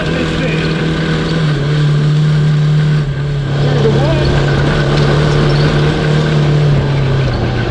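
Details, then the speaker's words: Cross kart with a 1982 Honda CB750 DOHC 750cc engine, rebuilt top end, fitted with old plugs including a known fouled one. Low-speed buzz with an uneven stumbling beat, running badly; misfire, spark plugs suspected. "all right i guess this is where i'm parking so it's running like total dog dude yep for sure okay i mean keep it simple stupid spark plugs"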